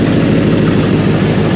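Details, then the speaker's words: 1955 Chevy pickup V8 with the carburetor it arrived with, first start after sitting for a while, no throttle: low, even rumble with steady firing, no knocks or misses; normal idle. "Got a nice little rumble to it, nothing crazy."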